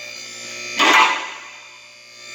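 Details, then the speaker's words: Newly replaced lift motor running: steady, even electric hum with constant pitch, no grinding or knocking; much quieter than before, smooth. "That's a lot quieter. That's awesome. That thing sounds good. Oh, about to click. Oh, that sounds beautiful. Oh yeah, that's awesome."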